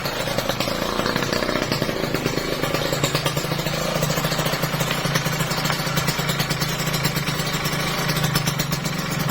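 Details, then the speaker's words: Kawasaki Ninja RR two-stroke after a new piston for a worn, knocking engine: revs and drops back cleanly with a crisp buzzy exhaust and no knocking as the throttle closes; sounds healthy after the repair. "Hai kamu ngomong itu enggak ada Kompleks ya Pas turun halus banget halus ini asli halus banget"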